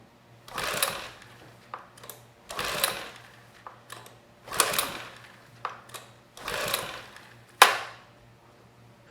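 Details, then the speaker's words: Sportsman GEN2200DFI 1800 W dual-fuel inverter generator (Yamaha MZ80 clone) on gasoline, spark fixed and compression tested fine, choke on: five hissing recoil pulls about two seconds apart, no firing; no start, timing or fuel suspected. "I'm kind of surprised this didn't fire up I thought for sure it was you know we found that there was no spark we fixed that problem"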